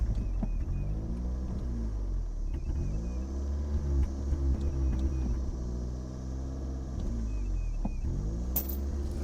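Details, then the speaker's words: 1987 Toyota Corolla FX (AE82) 1.6 L four, sat since 1999, first running after vacuum and electrical fixes: low uneven idle; throttle blips swell then fall back without revving, slight valve train noise; fuel leaking from carburetor vents. "A little about valve train noise there. I'm gonna shut her down. Doesn't want me to rev up."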